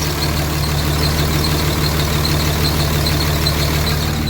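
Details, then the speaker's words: Even Dodge Cummins diesel idle clatter at about three beats a second with no stumble, checked for a zero rail pressure fault; the earlier misfire is gone and rail pressure now holds within about 100 psi. "that almost sounds like it runs better I don't hear a misfire like I did before"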